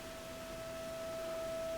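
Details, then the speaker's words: Blackstar HT5 valve amp with low output: only a faint steady tone over hiss with all controls near full, and nothing audible at medium. Fitting a new valve changed nothing, so the valve is not the fault. "it's exactly the same I expect you can hear that faint tone in the background that's with everything up pretty much full I turn it down to medium you can't hear anything so it's not the valve"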